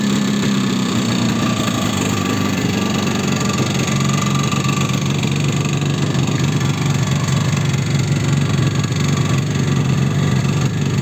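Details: Yamaha RD350 two-stroke motorcycle before rebuild, as acquired: loud hollow metallic rattle over low exhaust burble from horrendous piston slap.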